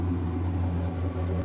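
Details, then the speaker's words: RV furnace after repair, heard from outside: fan running and burner lit, blowing hot (previously the fan started then shut off), steady low blower hum with an even burner roar, no cycling; normal furnace operation. "why don't we go back outside the fans going and now the burner's going and that's hot"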